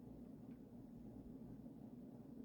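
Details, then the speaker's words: Vintage early-1980s Emerson 1895 Series 52" four-speed ceiling fan on high speed after oiling the bearings (previously horrendous grinding): soft steady low hum, no grinding or ticking, moving air well, smooth running. "So high speed is moving the air pretty well. Definitely not as noisy as it was before."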